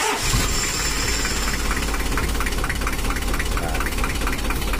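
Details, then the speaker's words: Old Mitsubishi L300 diesel at idle; complaints are rough sound, low top speed and smoke on climbs: loud clatter with an uneven, shaky pulse about three beats a second. Mechanic suspects valve clearance set too tight; camshaft and roller rockers are ordered. "Seharusnya RPM-nya itu nggak getar kayak gini. Kalau tafsiran saya itu di klepnya terlalu rapat, sehingga langsamnya itu kayak gimana gitu, kayak nelat."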